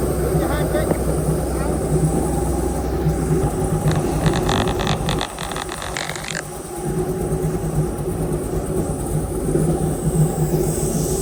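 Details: Airboat V8 with an upgraded cam, previously idling about 700–750 rpm, warming up before carburetor mixture-screw adjustment with a vacuum gauge: deep, even idle rumble, a brief dip in level midway, then settles smooth with no miss.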